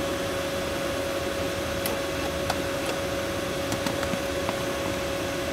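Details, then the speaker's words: 2015 Mercedes/Dodge Sprinter 3.0L with non-working AC, after blower motor replacement; smooth even airflow rush with steady mid-pitch motor hum, no rubbing or ticking, where before it was quiet; new blower motor running normally. "i hope you guys can hear the blower motor the blower motor is definitely working now"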